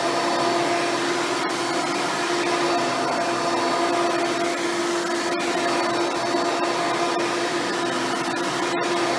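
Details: Hoover Elite-style upright vacuum run after installing a new belt and brushroll: steady, even motor whir with constant high tone, no rubbing, slapping or flapping; running normally.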